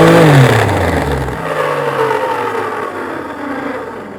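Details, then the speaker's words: Bennett Read Force 8 cylinder vacuum cleaner, smoking with a burning smell: motor whirs with a rough, gravelly roar and droning tones, the grinding of what sounds like a seized motor bearing. "sounds like a bearing has seized right"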